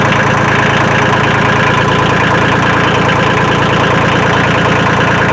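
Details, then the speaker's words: Kubota L2350 diesel tractor after draining water from the fuel system, refilling with new fuel and bleeding the lines: even diesel clatter about three beats per second, steady with no misses or hunting, slight white smoke remaining; runs well. "all right we got it running and i'm using it and it runs good so far"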